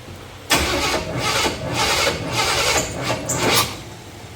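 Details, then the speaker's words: 1990 Chevy C1500 5.7 after intake manifold gasket reseal: engine cranks and catches in ragged bursts, won't settle; distributor turned the wrong way, ignition timing incorrect, hard start. "all right that was the wrong way can't believe I messed this up I thought my my dots were right"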